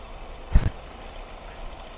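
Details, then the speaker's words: Ford Focus at idle after three failed ignition coils were replaced. Quiet, even low idle with every cylinder firing and no shaking; one brief bump is handling noise: normal idle. "Take a look, it's much more stable now. It's not shaking at all."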